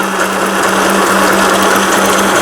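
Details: Elna Hello Kitty mini sewing machine, Thailand-made, after whole needle bar unit replaced and realigned: fast even needle chatter over steady motor hum, loud for its small size but smooth; sewing normally.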